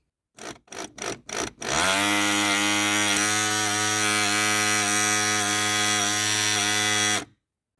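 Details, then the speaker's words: VAZ power window motor before it failed: short buzzes, then a loud, raspy, high-pitched whine for about five seconds; the armature's copper winding was found coming apart. "печальная новость моторчик электростеклоподъёмника умер Вот собственно его Якорь и посмотрите на его обмотку вся медная обмотка уже полезла наружу"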